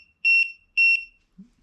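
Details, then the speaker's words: Gas detector tested with a normal lighter sounds two shrill, evenly spaced half-second beeps over silence, alarming on the gas. "But I've got this, you know, normal lighter here, so with this, you know, it will tell you that there is a gas leak."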